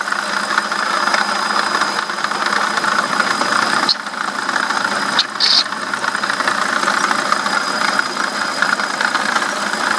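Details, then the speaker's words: BMW E65/E66 idling with a thin, rough squeak from the water pump area, squeaking badly for a couple of days with no gasket coolant leak. Owner is unsure between pulley and bearing but believes the water pump bearing is failing. "so guys the water pump is not showing any signs of the gasket leaking with coolant shooting out anywhere but it has a rough little squeak to it right there and so I'm not sure if that's the Poley or just the bearing but my water pump bearing is going out"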